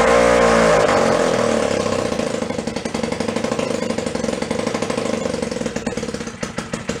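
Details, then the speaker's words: 1937 Sears Water Witch 2.5 hp two-stroke outboard, 83 years old and stored in a shed, first run after revival, mounted in a vise. It fires up and settles into a steady, even popping with no misses: running cleanly, easier than expected. "good she'll dial right in that was much easier than expected"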